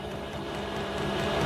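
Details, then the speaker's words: Diesel heater on a home test bed, running a couple of minutes and blowing hot air: a steady, even whirr of fan and burner with a constant low hum, no knocks or surges. Running normally. "But yes, it worked. Yes, I'm amazed. It's been running now a couple of minutes, and the hot air coming in."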